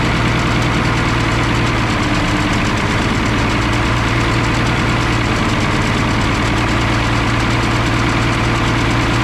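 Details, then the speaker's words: M35A2 military truck diesel, which seems to run out of fuel at higher revs: heavy steady running with loud hiss and faint whistle, turbo spinning; air leak somewhere, location not found. "[Music] and a heck of an air leak somewhere turbo spins at least and turbo spins a picture of that Joseph give it that little [Music]"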